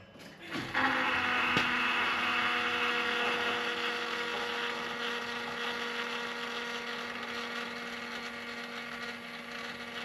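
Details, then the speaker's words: 2016 Ford F250, after replacing the fuel filters, key cycled to prime: a steady high electric whine keeps humming; the fuel pump runs longer than it should, since the system should already be pressured up. "So, I said we'll keep cycling. It shouldn't run that long. Should already have the system pressured up."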